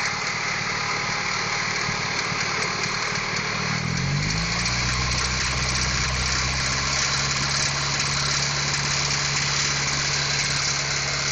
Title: H22 engine knock